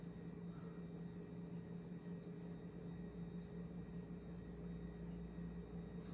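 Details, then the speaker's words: Restored Snoopy ceiling fan switched to high after a startup sound, speeding up: steady low motor hum with a helicopter-like whooshing rush of heavy airflow; running normally. "that is a lot of air flow like an extreme amount of erors coming out of this thing that sounds like a helicopter motor's humming"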